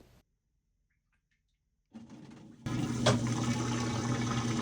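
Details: GE washer that wouldn't spin or drain, after drain pump installation: quiet start then steady low pump hum with rushing water holding even; normal drain pump operation.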